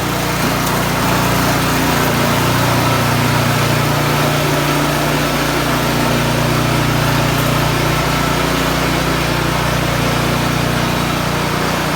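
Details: Craftsman snowblower after bent impeller repair and reassembly: steady even drone throughout, no scraping or knocking; normal running.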